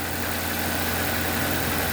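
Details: 2007 Nissan Y11 Wingroad, QG15DE cable throttle, steady fast even idle drone with no dip; high idle because burnt ECM driver for the idle air control valve holds idle open, also running rich from stuck fuel pressure regulator.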